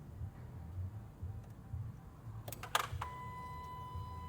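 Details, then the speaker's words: 2015 Dodge Charger with incomplete Scat Pack 392 Hemi swap from another shop, no-crank condition, fuse 37 inserted: a couple of sharp clicks then a steady high whine as a module powers up; normal module power-up hum, still no crank. "Did you hear that, hum just powered up, but I'm pretty sure we got a couple cos off."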